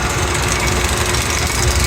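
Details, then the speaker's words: Rebuilt Kelly Duplex 3-ton mixer with planetary gear drive, cone slightly warm but within normal temperature: low, even hum under shop hammering, no scraping, knocking or irregularity; drive runs healthy. "Again, there are no irregular noises. I'm going to climb down off this ladder and do a walk around of the unit. There's no scraping or anything."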